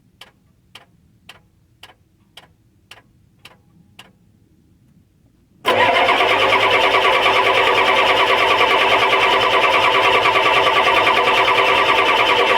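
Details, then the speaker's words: 1993 Ford 7.3 IDI turbo diesel at about 55°F, has fuel: about three ticks a second, then a steady cranking roar puffing white smoke with no catch. It ran fine the day before; cranks but won't start. "it'll puff a little bit of white actually it'll pose a little pop a decent amount of white when I'm cranking and it just doesn't want to turn over"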